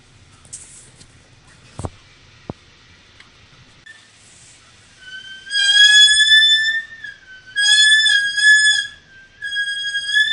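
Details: 2012 VW Tiguan with a loud, shrill brake squeal in bursts while backing slowly out of a garage; it occurs only when backing up and only in high humidity. It persisted after dealer replaced rotors and pads, and was worse afterwards. Cause unresolved.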